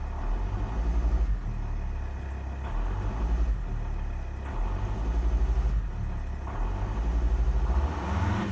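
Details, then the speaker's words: Volvo XC60 D5 diesel, cold start, floored to the kickdown point: it surges and drones in slow waves and takes about 10 seconds to rev; suspected fuel starvation, traced to faulty injectors. "immediately put my foot flat down on the accelerator and not as far as to push the kick down button but all the way to the kick down button um and you can see it took about 10 seconds to start revving there so it feels to me a bit like fuel starvation"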